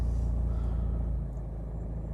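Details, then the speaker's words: 2018 Nissan Navara 2.3 dCi 190 automatic, 76,000 miles, full service history, on start-up: fires straight away into an even, steady low diesel idle with no knocks, ticks or misses; no warning lights; healthy. "Fires into action straight away, no problems at all."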